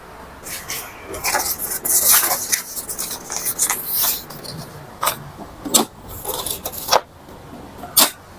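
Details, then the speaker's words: Epson L3110 printer with simultaneously blinking lights, after resetter reset and power cycle: sharp clicks and clattering bursts as carriage and feed cycle through startup/head cleaning; normal mechanism. "already moving, friends, we just have to wait for the process."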